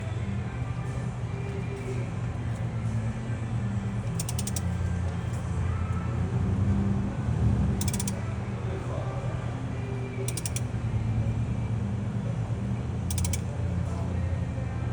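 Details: Dodge Caravan with A/C on: steady low engine drone with an irregular mechanical rattle and creak; vibration suspected to come from the flywheel, not confirmed.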